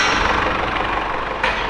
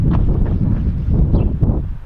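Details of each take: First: Mercedes-Benz E-Class W210 220 CDI diesel idling after a new Bosch crankshaft sensor was fitted: smooth, even clatter with no stumbles; the sensor waveform looks perfect. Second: Mercedes-Benz E-Class W210 220 CDI diesel that won't start after stalling warm; codes P1354 (no crankshaft signal). The starter spins evenly for about four seconds with no firing. The scope shows a dead crankshaft position sensor, which is to be replaced.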